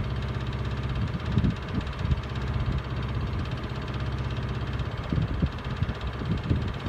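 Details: Miele W418 Honeycomb Care 5 kg washer, overloaded with bricks, in 1600 rpm drain spin: deep, heavy rhythmic thumping and knocking. Owner suspects a broken spider; the drum wobbles slightly, fine to about 900 rpm but noisy at 1600.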